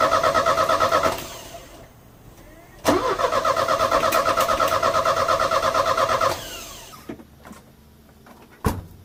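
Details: Euro-spec Mercedes 190E 2.0, 5-speed manual, fuel just added: cranks and catches with an uneven, hunting beat, then sags and dies; it ran about 30 seconds and stalled, with gunky contaminated fuel found in the lines.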